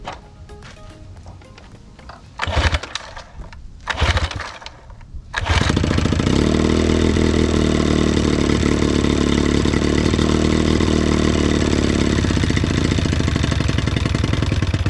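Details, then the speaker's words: 1982 Johnson Sea Horse 9.9 HP outboard, sat unused, with spark and magneto fine: cranks, catches, runs a lumpy uneven idle about ten seconds then dies; dirty or clogged carburetor, to be cleaned. "all right so that is a main symptom a lot of times of a dirty carburetor it's starting when i'm trying to idle it start to die off on me most likely is a sign of a carburetor"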